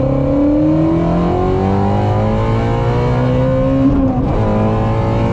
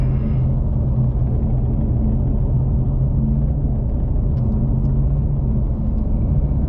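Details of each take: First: Ford Mustang GT350R at full throttle, on a new tune meant to fix an ongoing issue, with advanced track mode off: strong note climbs smoothly with a clean shift near four seconds, no stumble or cut; healthy pull, the fix worked. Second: Ford Mustang GT350R on test tune, wrench light on: heavy lumpy uneven rumble, running on like 3 cylinders; codes pointed to throttle body, owner suspected crank sensor; tuner says it was fail-safe mode, cleared and then fine.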